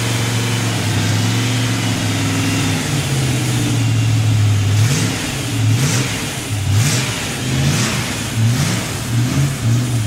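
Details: Freshly built Chevy 283 V8 restarted after plugging an open vacuum port that had caused a big vacuum leak; it catches and settles into a steady, even rumble, with a few throttle blips that rise and fall cleanly; running normally.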